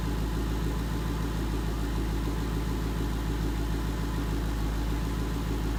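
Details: 2011 Mustang GT 5.0 Coyote V8 with Roush exhaust at idle after new rod bearings and TTY rod bolts: deep, even burble with a steady low rumble, no ticking or knocking on top; the knock is gone, engine healthy.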